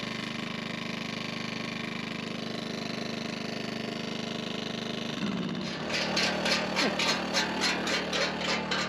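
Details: Generator, not in eco mode, powering an old cement mixer's roughly 50-year-old electric motor that had been frozen up that morning and that a 1000 W Jackery failed to run; steady drone, then surges about three times a second once the mixer kicks in: generator labouring under heavy load.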